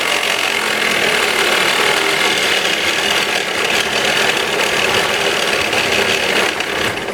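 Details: 2013 Kia Rio at idle: busy, tinny rattle from a worn alternator at the front of the engine; noise fixed by replacing the alternator.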